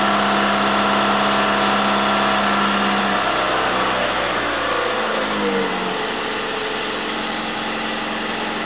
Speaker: ah it's just running just the same I've let it sit here for I don't know 10 minutes sidling and revving it hasn't fed but I'm pretty sure it sounds like it's got a lot more gut than it had before